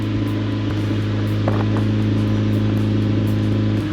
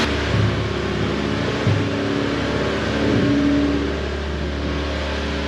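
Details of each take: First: 1988 Honda CRX Si with neglected oil changes, first idle while bleeding coolant and still smoking: steady low idle with a raw, slightly rasping exhaust note and faint puffing; exhaust leak from a hole in the muffler. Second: 1988 Honda CRX Si small four-cylinder on first start after long neglect and missed oil changes, with heavy exhaust smoke thought to be old residue burning off: settles into a smooth, even idle with no knocks or ticks; normal idle.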